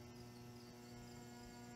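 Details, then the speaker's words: New-old-stock Lesslie Locke spinner ceiling fan with stiff lower bearing, on a solid-state variable speed control after capacitor tests up to 40 µF: steady low electrical buzz, the motor struggling rather than spinning freely; bearing work or replacement is suspected. "all right so i hear the buzzing it's it's rather struggling"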